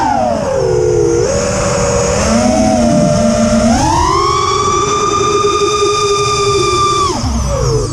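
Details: Quadcopter in flight on TBS Bulletproof 25A ESCs (DShot600) after a Betaflight 3.1.0-RC5 update, with lowered untuned PIDs: motor whine climbing and falling with throttle with an odd warbling edge; persists despite demag, timing and DShot300 changes, cause unknown.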